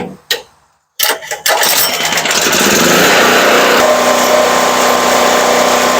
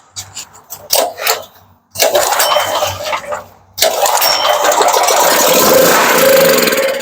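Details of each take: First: Firman 3650 W yard-sale generator after repair, speed set to about 61 Hz, with a multi-tool as a light load: catches after a couple of pulls and holds a steady even drone that barely changes under load; normal running. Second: Firman 3650 W (4550 surge) yard-sale generator with old gas in the tank: pulled with starting fluid sprayed in, air filter off; short catches, then it fires and runs roughly, so the carburetor is not getting fuel.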